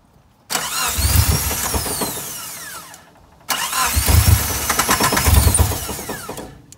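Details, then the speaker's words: 1993 Suzuki Sidekick 4-door, odometer 299,000 miles, project: on cranking it catches with a rough, uneven sputter for a couple of seconds, then fades and dies twice; ignition works but engine starts then stalls, will not idle. "i'm going to crank it and you guys are going to see that it just kind of sputters turns on and like the ignition works and then it just turns off because it can't idle so here we go"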